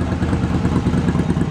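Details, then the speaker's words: Yamaha Virago 1100 V-twin after carburetor repair and sync, intake elbows still off, carbs balanced by feeling cylinder pulses: low, steady idle with evenly spaced beats and no missing or popping cylinder; normal idle. "But it sounds pretty good. So I'm happy with that."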